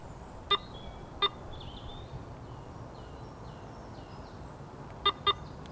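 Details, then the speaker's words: Garrett AT Pro metal detector full reset to cure chatter: two pairs of short bright beeps, the double tone confirming the reset. "ang dobleng tono at i-reset mo ang iyong detektor"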